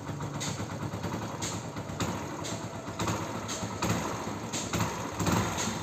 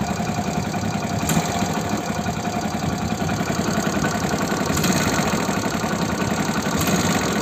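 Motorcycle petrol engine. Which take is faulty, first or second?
second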